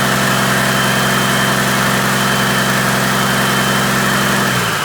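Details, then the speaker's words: Freshly overhauled Caterpillar C-15 diesel, first start after rebuild: steady, even idle with no knocks or shakes, then winds down smoothly; good oil pressure, no vibrations or nasty noises; normal idle. "okay well didn't throw a rod through the side got pretty good oil pressure um everything sounds good no vibrations no nasty noises"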